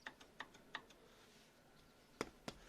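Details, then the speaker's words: Front wheel brake pads rattling in caliper over bumps with sharp tinny metallic clinks because one anti-rattle clip is missing; a loose shield also rattles. "проблема оказалась в нескольких вещах номер один это колодки вот они звенят"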